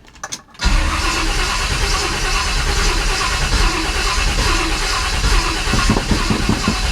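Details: Freshly rebuilt 1957 Chevy Bel Air on first start-up, no coolant in it yet, distributor timing near correct: starter churns steadily for several seconds while the engine labours without firing cleanly, then backfires through the carburetor; slow to start.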